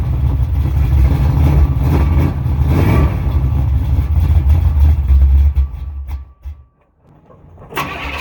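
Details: 1986 Chevy C10 Silverado 350 5.7 V8, just after an oil leak fix and a timing adjustment. A lumpy V8 rumble sags, dies out, then catches again. The owner thinks it is getting fuel and suspects cold; the distributor is being tightened. Rough idle and stalling.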